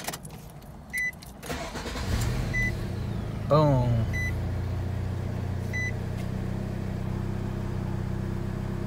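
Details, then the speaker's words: 2005 Nissan Altima 2.5, which died while driving from lost ECM/TCM communication (P1705, P1611), after the bad PCM was replaced and programmed; warning chimes, a quick crank, then it catches cleanly into a steady, even idle. Normal start and idle. "all right so i got it programmed got rid of that p1611 and this car starts like a charm now so let's check it out"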